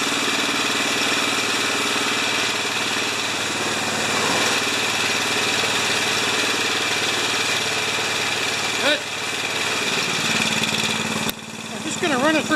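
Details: Craftsman 27-inch snowblower, 13.5 Briggs & Stratton engine, about 10 years old, leaking gas from its Nikki carb: runs at a steady, even speed with no misses or knocks on the newly installed carburetor, warming old oil before an oil change; sounds healthy.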